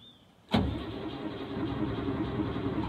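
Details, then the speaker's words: Mercedes Unimog 404 petrol engine after sitting outside a long time: after a sharp engagement the starter spins it with a steady churning drone but it never catches; cause not confirmed. "wow that's encouraging it does crank over so let me just try pumping the fuel a bit more"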